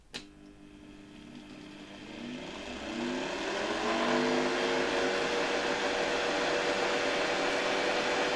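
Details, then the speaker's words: 1972 Hoover 1346A vacuum cleaner motor, run alone and unmounted at reduced voltage for safety before reassembly: it spins up smoothly to a steady, clean high whine with no scraping or rattle and works quite well. "Oczywiście obniżam napięcie, ponieważ silnik nie jest tu do niczego przymocowany, więc dla bezpieczeństwa uruchomimy go przy niższym napięciu."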